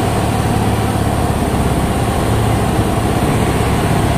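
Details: Honda Beat fuel-injected scooter, just started after cleaning with injector cleaner and fitting new throttle body with TPS set, to cure stalling/hesitation at full throttle: small engine idles steady and even, no surging or stumbling; idles properly.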